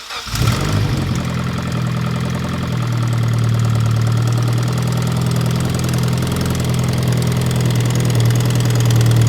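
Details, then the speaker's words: Mitsubishi Evo X at first start after a turbo swap with new downpipe and exhaust. Steady idle with a faint rapid puffing tick: an exhaust manifold leak where someone drilled through the manifold, likely after breaking a heat shield bolt. Later reported no leaks. "We did have a small exhaust leak. This manifold, someone drilled out, it looked like, for the heat shield."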